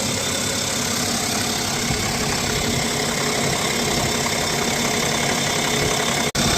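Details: BMW X5 40d (N57 diesel) at idle: dense clattery noise with a loose rattle from the front of the engine, apparently from the accessory drive; separate from the resonating noise at 3000 rpm; no fault codes.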